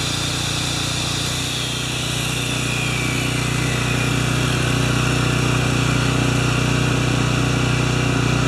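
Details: Makita G2400R generator with a non-OEM replacement carburetor, running a saw as a load test; steady engine drone holds pitch as the saw motor whine comes in, no bogging or hunting; saw drew about 5.7 A unloaded, about 13 A when triggered; normal running under load.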